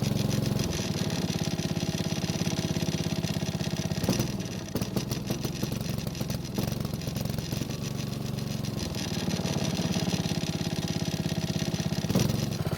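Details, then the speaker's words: Honda push mower that ran fine last year starts only after several pulls and runs rough, blowing black smoke, even when throttle is adjusted; suspected too much fuel from a dirty air filter, not confirmed. "As you just saw, it took several pulls to get it to start, which is probably the old gas, but we also had a lot of black smoke coming from the muffler."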